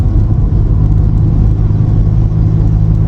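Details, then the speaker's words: VW Passat B3 with PD150 diesel conversion on 17-inch wheels, cruising at 40–50 mph after dropping a gear: deep steady low rumble, louder in lower gear, disappears with clutch in; owner suspects driveshaft or gearbox, unconfirmed. "I drop it down the gear, it does it better. You can hear it's like a rumble."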